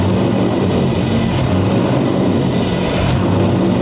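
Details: C6 Corvette drift build, 427ci single-turbo LS, first startup, no throttle; deep steady V8 idle with even firing, no misses, knocks or ticks; running normally.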